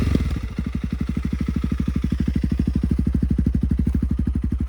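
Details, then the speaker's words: Honda CRF300L with a budget eBay aftermarket muffler, repacked and broken in, revved to about 4,500–5,000 rpm. Loud, sharp single-cylinder thumps crack out of the pipe. The repack didn't change the loudness at all. "Well, we have learned that uh did a lot of work for nothing. Repacked it. It really didn't change it at all."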